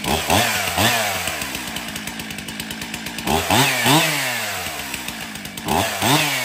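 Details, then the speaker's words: Stihl MS362 chainsaw, 7 years of hard use, in for hard starting and low power, test cutting hardwood after service: snaps to full revs and back cleanly, strong even speed in cut; starts good, runs excellent. "okay so the 362 starts good runs excellent"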